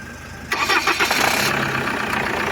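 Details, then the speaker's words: Opel Astra G 1.9 CDTI diesel with an automatic gearbox after starter replacement and a new battery: starter whirs briefly, then the engine catches at once and settles into a steady, even idle; the battery drain cause is unknown, possibly a current leak. "в общем чути все заводиться значить до того всього стартера добавили ще акумулятор але новий акумулятор"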